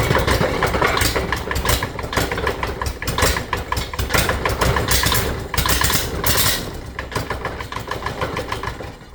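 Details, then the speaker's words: Yanmar diesel that ran well the day before: loud clatter that surges and sags instead of holding steady, fading toward the end. The owner suspects it was running out of fuel; uneven running. "It kind of almost sounds like it was running out of fuel."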